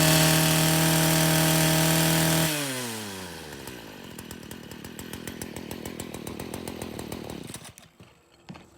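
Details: Stihl FS40C trimmer running after a new spark plug replaced the one that stopped it starting: screams at a steady high rev, drops cleanly to an even idle, then shuts off; normal running.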